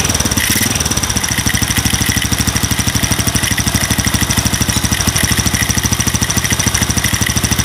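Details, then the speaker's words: Single-cylinder motorcycle with an RVN 53mm cylinder block, RVN Pro camshaft and racing rocker arms, at idle: fine, light trik-trik ticking like valve clearance, persisting even with the valves set tight; milder than loose valves, cause unclear. "coba coba tak bikin rapat pun dia masih ada suara kayak trik trik trik trik trik trikk trik kayak suara klep setelan klep tapi ya enggak separah kalau setelan klep kendor"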